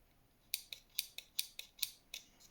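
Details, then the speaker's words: Engine-bay relay from a 1989 Nissan Silvia S12 1.8 Turbo, bench-tested with its coil energised: crisp, sharp clicks about every quarter second. The relay is switching normally. "so you're connecting those two and those two you can hear it clicking"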